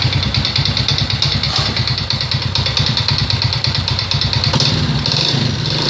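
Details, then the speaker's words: Alfa 110 moped engine idling after crankshaft replacement: rapid, steady metallic knock riding over the exhaust beat; cause of knock unknown, owner asking what it is. "Заводим, поменял коленвал. Стуки. Что за стук?"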